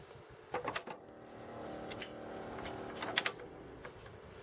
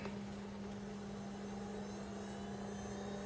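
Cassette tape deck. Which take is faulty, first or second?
first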